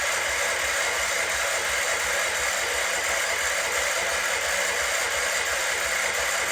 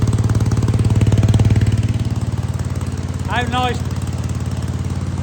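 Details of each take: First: Wheel Horse C-120 garden tractor, said to have run before, cranked with the fuel system empty after spilled petrol and a broken wire. Steady high starter whirr, about four compression beats a second, never catches, then winds down; no start from fuel starvation. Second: Wheel Horse C-120 single-cylinder engine running after fuel was drawn up and the filter refitted, on an old plug. Quick, even thump holding a steady speed without stumbles or knocks; normal running.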